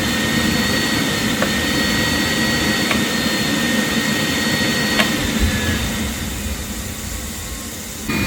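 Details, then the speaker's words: Rinnai RE180 tankless water heater after cleaning of burner, combustion fan, heat exchanger and inlet screen, gas leak check passed: steady fan rush with an even whistle and smooth burner roar, no popping or surging; normal operation on low fire. "No leaks. Burner is running on a low fire. We're on a low fire flame rod, high fire flame rod."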